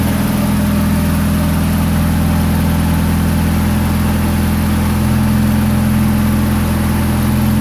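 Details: 1992 Toyota Starlet GT EP82 with IHI VF34 turbo, started in cool early-spring weather: steady, even, noticeably fast cold idle with no misses. Idle still high though calmer since the clutch job; owner suspects the old wax (fast-idle) unit, unconfirmed.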